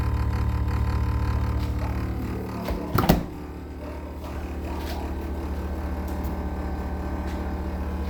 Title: GE Humming noise